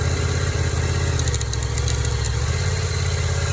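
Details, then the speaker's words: Yamaha FZ-07/MT-07 twin after a small drop, idling in gear as clutch is let out: light, irregular high scratchy rasp over the beat, scraping on engagement; owner suspects the clutch, not confirmed. "And so I'm suspecting that something's wrong with the clutch, even though I've never had any issue like this with any other bike."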